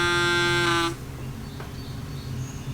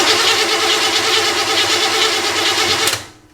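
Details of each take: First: Chevrolet camper conversion being retrofitted with electronic fuel injection instead of a carburetor, about 20 liters of gasoline in the tank: the in-tank electric fuel pump gives a bright steady buzz for under a second, then drops to a low hum, flushing fuel before the throttle-body hose is connected. Normal priming. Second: Chevrolet camper engine newly fitted with electronic fuel injection: the starter spins it at about three beats a second without firing, then stops. The tachometer needle doesn't move while cranking, so the technician says the distributor is dead. Crank, no start.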